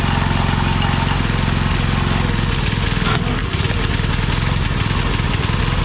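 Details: Old Briggs 5 hp single-cylinder on homemade wood splitter, run without air cleaner, little fuel added: runs steadily then beat turns ragged and uneven halfway, hunting; owner suspects it's running out of fuel.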